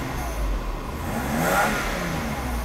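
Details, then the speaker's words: 1991 Mercedes W124 300CE 24V during air flow sensor adjustment, AC on: engine holds a smooth raised speed near 3000–4000 rpm under compressor load, pulling itself up with no hunting; healthy. "It happens when the RPM is close to three thousand to four thousand. It doesn't need to be fueled. It will pull itself up."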